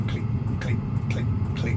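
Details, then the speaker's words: Hcalory diesel heater fitted on a boat, after about an hour of stable combustion: steady sharp clicks about twice a second over a low even hum. The fuel dosing pump is ticking normally. "it's probably worse out here than it'll be in there because once you're in there you can hear the the flow of warere so probably will um Mas that clicking noise but we'll have to see"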